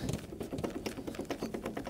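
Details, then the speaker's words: Volvo V50 (C30/S40/C70 type) driveshaft removed for replacement, spun by hand: quick uneven dry clicks and light clunks, a lot of noise and movement. Worn CV joint play. "quite a lot of noise and movement in that drive shaft"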